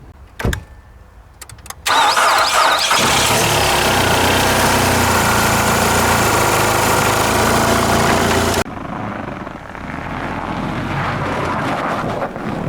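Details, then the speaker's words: Car started in -32 °C (-25.6 °F) with a dead battery using a jump-starter power bank: short burst of cranking catches within a second, then a strong steady fast idle; cold engine starts and runs fine. "Despite that Arctic chill, Tater Tot was off and running again."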